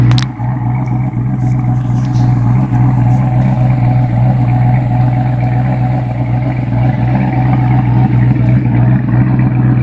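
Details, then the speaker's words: New Edge Mustang GT V8 after Comp Cams Stage 2 cam and spring swap, correct custom tune, stock manifolds, 2.5" catted H-pipe, Bassani after-cat exhaust: deep, loping, choppy idle about four pulses a second, steady and clean; healthy cammed idle. "I have the right custom tune. It's sounding great, so hang tight and here it comes."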